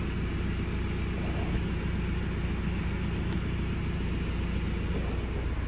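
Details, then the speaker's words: 2017 Euro 6 Ford Transit diesel after replacing the turbo boost position solenoid for codes P246B, P0045, P2564 and clearing faults: steady even low diesel idle, no knocks, misses or whine, no dash lights. "we'll start it up there we go engine running no lights on the dash"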